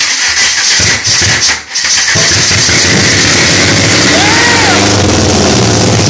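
Rough, uneven cranking and sputtering catches that won't settle into a steady idle; the engine is struggling to start, cause unclear.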